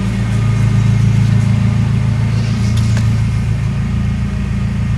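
Deep, steady four-cylinder rumble that drops from a light rev to an even idle, no ticking or puffing; the exhaust sounds sealed.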